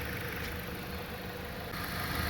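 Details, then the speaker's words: 2011 Jeep Patriot at 190,000 miles, on Mobil 1 synthetic oil with spark plugs changed at 100k. Even, smooth idle with no misfires. A slight vibration is present, which the owner suspects is a worn motor mount. "no Mis firings or nothing this is what synthetic oil does to your engine makes it run brand new"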